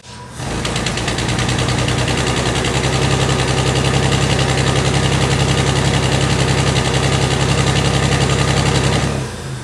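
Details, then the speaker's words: 1999 Toyota 4Runner 3.4 engine running under load torque, heard at the tailpipe: a constant, steady, uneven puffing misfire; the scanner did not pinpoint it. "Now you should be able to hear that on the video. It's just a constant, steady misfire. If you go over and look at the tailpipe, you can actually hear it better."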